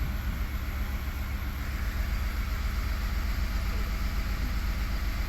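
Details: 2019 Ford F150 3.5-liter V6 idling on port fuel injection only: uneven stumbling and skipping, code P0304 cylinder 4 misfire; runs smooth on direct injection only, so the cylinder 4 port injector is likely leaking; coil and plug already tried.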